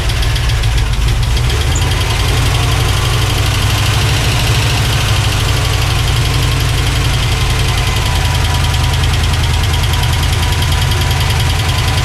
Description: The rocker arms were out of adjustment in my 1986 C10 with a gen 6 454 Big Block Chevy you could hear them tapping.